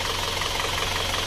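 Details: Isuzu Panther diesel warmed nearly an hour to about 70°C after flipping the sunken cylinder 4 liner and fitting new piston rings to cure heavy dipstick blow-by. Even, steady idle clatter with no misses or heavy knocks; sounds healthy.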